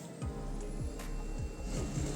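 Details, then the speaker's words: Canon iR 2525/2520/2535/2545 copier: low scraping knock about twice a second over the running hum, coming from the fixing (fuser) unit; technician suspects a damaged gear there. "So the sound is producing from the fixing unit. So I'm going to remove the fixing unit first, and I think the gear was damaged."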